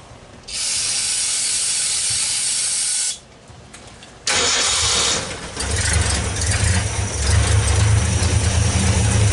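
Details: 1964 Ford Econoline van with a 170ci six and points ignition, previously crank-no-start. With the coil resistor bypassed and 12 volts fed straight to the coil: starter hiss and cranking, a short pause, then it catches and settles into a steady low idle.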